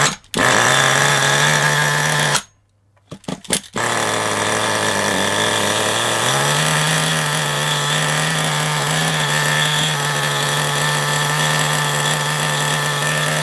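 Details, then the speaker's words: FTX Carnage nitro RC car engine, newly fitted 2-speed gearbox, engine hot: high buzzy nitro engine cuts out, restarts and holds a steady whine; clutch drags because it sits too tight, too close to the bell. "right let's fire it up going to get a little of screeching I think cuz that bit tight"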